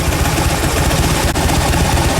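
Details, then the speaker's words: Fuel-injected Harley-Davidson V-twin, after fixing stalling at idle and clearing P0152 rear-cylinder rich code: steady even low thumping about eight pulses a second, no stumbles; healthy stable idle. "As you can hear, it now is idling like it's supposed to."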